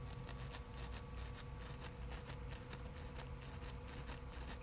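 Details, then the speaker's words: Pioneer stereo component, otherwise fully working. Scratchy crackling bursts over a faint steady hum each time the volume knob turns: dirty volume potentiometer, to be cleaned with DeoxIT D5 spray. "got some noise in it right so I'm gonna open the open the case up and I'm gonna clean up all the potentiometers and switches and stuff in here with some of my magic spray"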